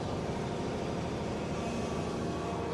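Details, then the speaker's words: Hydraulic drive on a Rexroth control panel machine in forward, speed raised, all four wheels turning: steady low droning hum with a slightly labouring tone as the pump straining takes up load; normal operation. "And I'll explain that in a bit, but I can also hear the pump straining a little bit."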